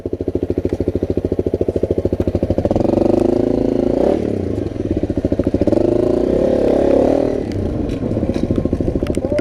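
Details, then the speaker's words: Motorbike ridden after being dropped underwater in a deep ford; water got into the engine and turned the oil milky. Steady thumping sags and stumbles as throttle opens: engine bogging under throttle, cause not confirmed. "It's bogging a bit, but other than that it's alright."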